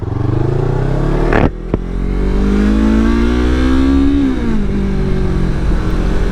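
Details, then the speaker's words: A Yamaha R3 with an Akrapovic slip-on exhaust on a test ride, not yet past second gear: the deep twin note climbs cleanly, dips at a gear change, then pulls smoothly again. It sounds like a beast even through earplugs: normal acceleration. "my god. Even wearing earplugs right now, this thing sounds like a beast."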